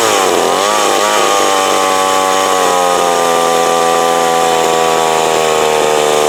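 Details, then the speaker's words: Older McCulloch Mac 120 two-stroke chainsaw, previously taken apart, after a carburetor adjustment-screw tuning; revs dip briefly, then hold a steady, even high-speed buzz, running decently though it may need slight further tweaking. "I mean, it's running. It's, you know, it's running decent. It could probably still need tweak just a little bit more."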